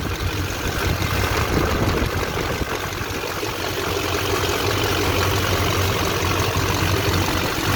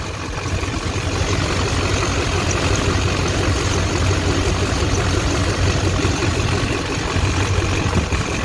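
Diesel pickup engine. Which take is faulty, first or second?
second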